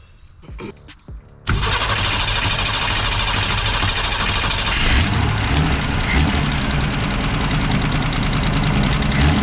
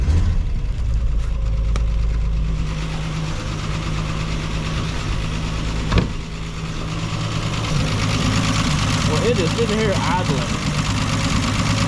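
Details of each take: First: Ford Falcon revived after new points, condenser, cap, rotor and plugs, with a bad radiator leak: it cranks, catches and settles into a steady but fast idle with the choke line to the manifold not hooked up; high idle. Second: Ford Falcon revived after new points, condenser, cap, rotor and plugs, fine-tuned after first start: low, fairly steady idle that keeps running without dying, only slightly uneven; normal idle.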